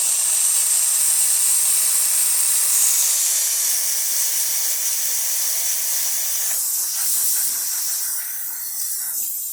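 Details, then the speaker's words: Rocket espresso machine after a full service and tune-up: strong, steady high hiss of dry steam that tails off evenly. The steam wand works properly; hot water and pump refill work too. "That works amazing. And the hot water too. That works great."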